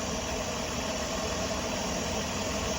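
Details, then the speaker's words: 2002 Ford Escape with low, erratic, lean idle and check engine light: constant airy hiss over low, slightly uneven idle with faint whistle; air squeezing through a collapsed PCV hose, vacuum leak. "I mean I think it's just making that noise because it's starting to like it's like trying to squeeze the air through"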